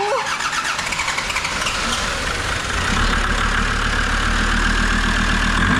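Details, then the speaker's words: Land Rover Defender TD5 diesel, first start after a new galvanised chassis and new clutch, fuel pump primed, given a little throttle; short crank, then catches and settles into a steady, even idle clatter without misses; healthy start. "that is why I love a TD5 they will start even if their ass end is hanging off they will start"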